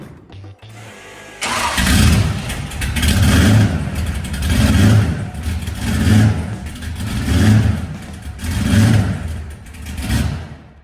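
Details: 1968 Chevy Biscayne, 71k original miles, 388ci small-block V8, 200-4R overdrive, 3.73 posi, after header replacement and a shorted positive wire on the header: catches right away, blipped in smooth crisp rev swells about every 1.5 seconds.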